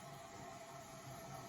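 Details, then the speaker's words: Running toilet tank: constant soft hiss of water trickling in with a faint steady high tone that never shuts off; the tank has a slow leak and keeps refilling, before replacing float and flapper with a Fluidmaster all-in-one kit. "That's the sound of a toilet tank that has a slow leak in it."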